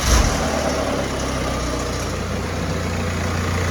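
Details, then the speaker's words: 2011 BMW E91 diesel with 6HP21 automatic, first cold start after a gearbox replacement that cured a previous ringing. The torque converter is not yet full of oil. Steady idle with an even low hum and no metallic ringing: normal. "тишина. Шелишка нема. Гублик ещё не набрал масла, насос ещё не накачал, но уже всё хорошо."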